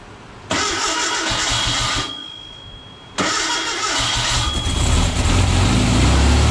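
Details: Freshly built VW Beetle 1679cc single-port engine, Scat C25 cam, dual Empi ITC carbs, first fire-up for cam break-in with timing being set: catches and settles into an even flat-four idle with a brief blip, no knocks or misses.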